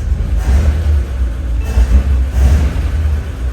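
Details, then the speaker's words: 1941 Ford truck flathead V8, just started after about six years sitting, no choke used, clutch seized and one rear wheel off the ground. Deep, even rumble that swells cleanly on quick throttle blips and settles back: responsive and healthy. "I can't I'm impressed with this flathead Ford V8 it runs better than that old 68 Ford sitting out there responsive I'll tell you what you blip the throttle and it's right there"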